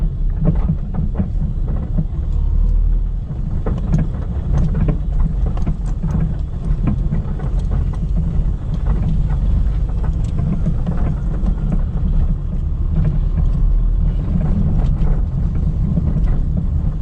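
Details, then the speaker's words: Car on cobblestone, rough street (silent on asphalt): loose irregular knocks over road rumble from a worn front strut mount with a finger-wide gap to the body, letting the shock shift. "olha só só de especialmente a gente tem um suspeito aqui bem claro nosso coxim do amortecedor reparar tá com uma folga muito grande"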